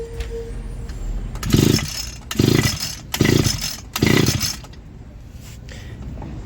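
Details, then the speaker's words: Echo GT 2400 two-stroke line trimmer, customer drop-off, compression test with spark plug out and gauge fitted; four quick recoil pulls, engine spinning evenly against firm compression, reading about 100 psi and holding, healthy. "Whew, that is pretty good. That looks to me like 100 psi. That is very good, and it's not going down."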